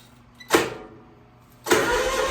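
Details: 27 hp Kawasaki zero-turn mower, first cold start of the day with a weak battery on a charger: short crank burst, pause, then fires at once and settles into a steady, even run. Normal cold start.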